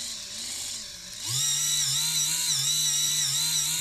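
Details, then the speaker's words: InMoov robot shoulder servo, modified and driven by Arduino via potentiometer, worm gear not yet greased: high whirring motor whine with grinding edge and wavering pitch, labouring. Servo straining from the ungreased worm gear. "there's no grease in that that sound like it's struggling a little bit"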